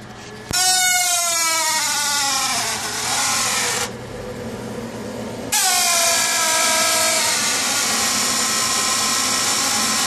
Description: Furnace noise. Only occurs in heat mode and at startup before blower starts.